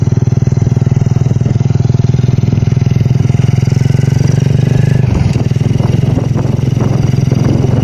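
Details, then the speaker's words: Honda Revo Absolute carbureted motorcycle after replacing rocker arms (piano klep) for rough ticking noise; test idle an even quick low putter with a brief blip, smooth, no ticking; normal healthy idle. "kita tes karangnya Hai suara juga halus sering artinya"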